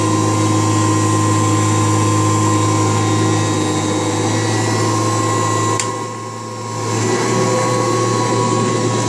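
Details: March 1989 Kirby Heritage 2 / Legend 2 (2HD) vacuum, restored with new foot switch, power cord, brush roll and light bulb: steady even motor hum with clean whine and one brief dip in level; normal running.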